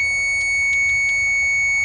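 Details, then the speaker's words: Kawasaki Mule 2510 auction project, choke on, possibly overfilled: a constant shrill electronic tone at one steady pitch over faint engine rumble, coming from the faulty ignition switch that is still awaiting replacement with a new one. "I need to put that new ignition switch in, but I'm kind of lazy about it. I should get that thing quit making noise."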